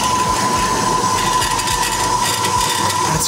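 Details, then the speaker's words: Brand-new Ellis 1600 band saw, warmed up, after its motor was replaced; steady motor hum with a fast, uneven buzzing rattle that sounds like loose metal from the factory, alongside heavy vibration. "this one sounds worse is that listen to that sounds like there's loose loose metal straight from the factory"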